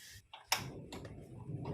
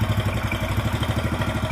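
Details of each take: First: Yamaha Mio Sporty after valve replacement and lapping for lost compression: a few clicks, then starts at once into a steady idle; sound slightly rough as engine oil had dropped by half. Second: Yamaha Mio Sporty scooter with lost compression from worn valves and valve seats: it starts easily but idles rough and lumpy with clatter. Oil level dropped over 50% since the day before, so it is burning oil.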